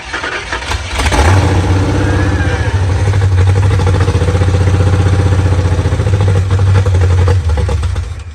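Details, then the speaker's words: 1968 Ford Mustang after installing a Duraspark electronic ignition with a junkyard Grand Marquis distributor, straight-wired with gas poured in. It cranks, catches and fires, then holds a strong, steady low rumble with even pulses under light revving; it runs properly. "well it's definitely firing"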